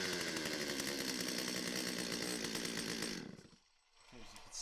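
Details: Stihl 025 chainsaw after an oiler repair (oil pump, worm gear, O-rings, pickup tube replaced): it screams at high revs with a steady, even buzz, then drops off cleanly. It runs strong and oils well.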